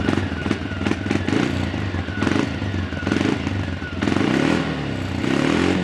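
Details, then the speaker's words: Yamaha Grizzly 300 ATV after a no-start/won't-stay-running fuel delivery fix with a new valve (part 1SCF4500-10) and an aftermarket Chinese carburetor: a steady single-cylinder idle thump, then a clean throttle blip near four seconds that settles back. "it's got good idle good wide open throttle that little chinese aftermarket carburetor works pretty good"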